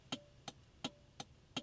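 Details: Indicator relay on a Rover P6 3500 V8 (Mark 2, Borg Warner 65 auto) recently revived after years stored: crisp, even clicks at a steady rate of about eighty flashes a minute; normal indicator flasher operation.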